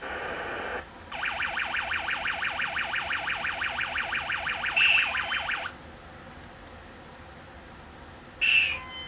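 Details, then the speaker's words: 1980 Midway Space Invaders Deluxe arcade PCB after socket and amp replacement: marching tones step along about three a second but the invader-hit effect is a short, wrong-sounding chirp; saucer hit sound now restored, invader hit sound still incorrect. "And I tested, you can hear the sound. The invader hit sound is not correct."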